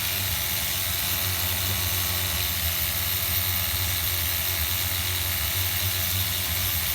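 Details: HPI RS4 Nitro F150 pickup RC truck glow engine on 16% nitro, carefully retuned after overheating to ~350°F: a high buzzing, even, steady note with no stumbling or surging; running smoothly.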